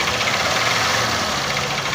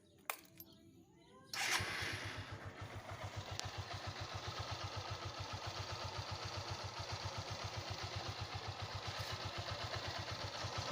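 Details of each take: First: 150cc single-cylinder motorcycle engine idling with a hard, rapid metallic knock over busy, rattly running. It knocks heavily at idle and eases slightly but does not stop when revved. Worn connecting rod. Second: 150cc single-cylinder motorcycle engine after repair with a new connecting rod (biela). It starts and idles evenly with a steady firing beat and no knock, normal idle.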